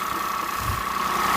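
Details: Peugeot 107 three-cylinder on a cold day, after replacing the dead coil pack: even idle with a steady hum and faint whine, only slightly lumpy, no misses or knocks; engine management light still on.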